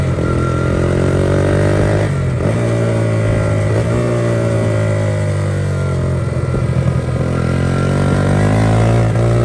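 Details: 1982 Honda XR80 fitted with an XR100 engine, restored after a leaking tank and a tank sealer that nearly ruined the engine. The air boot is refitted with one clamp missing. It starts right up and pulls cleanly through rev changes with an even beat and no misses. Normal running.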